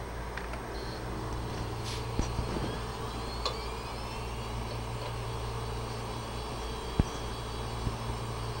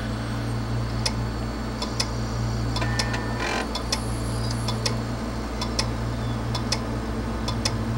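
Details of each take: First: Western Digital 80 GB hard drive, after head swap for clicking due to bad heads, powered up on imaging station: smooth steady hum with fine high whine and no more clicking as it spins up; normal spin-up. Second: 80 GB Western Digital hard drive: sharp metallic clicks, often in pairs, about two a second over a low spinning hum. It spins down slightly, then back up and clicks again. Diagnosed failed read/write heads, needing a head swap.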